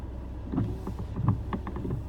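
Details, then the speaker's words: Volvo XC70 at 68,000 km, windshield wipers: uneven creaks and dull knocks a few times a second as the wiper comes down, suspected from the wiper linkage; cause unknown, owner considering lubrication. "сейчас я услышал один подозрительный звук у себя из дворников. Ну или откуда-то оттуда, из трапеции, что ли, я не знаю. Это какой-то страшный звук."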